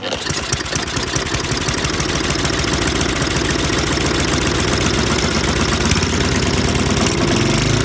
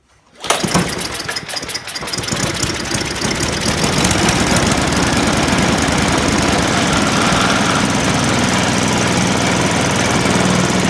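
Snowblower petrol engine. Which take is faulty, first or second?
first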